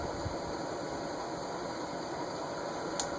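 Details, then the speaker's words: Emerson Tristar "Air Design" 1990s ceiling fan on high: steady airy whir with rough bearing hum underneath; bearing noise starts on medium, clearly heard on high, silent on low; quick spin-down, owner suspects something stuck in bearing. "Medium, and you'll start to hear the bearing noise. High. And you can definitely hear the bearing noise."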